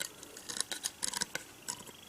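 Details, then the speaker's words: WLtoys 144001 RC car after bearing upgrade, shaft turned by hand: sharp, uneven dry clicks about six a second. No gap in the gear mesh; fitting bearing covers made it tighter. "clicking it shouldn't click it's only clicking because the gap that there's no gap in between the gear mesh so you can hear that one's clicking straight away as well"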